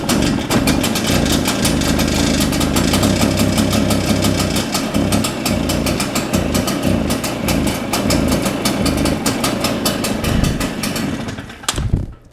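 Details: Shindaiwa EB802RT two-stroke backpack leaf blower under throttle: runs ragged and stumbling, never clears out, then sags and quits; muffler exhaust flow felt clear, so a carburetion issue is suspected.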